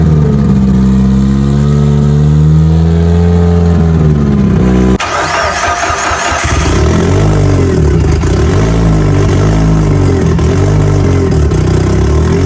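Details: Mitsubishi Evo during build before dyno prep, first start with fuel pump on and fuel pressure up; fires promptly, revs rise and fall cleanly with a steady, uninterrupted note. Normal start and revving; alternator not holding good voltage.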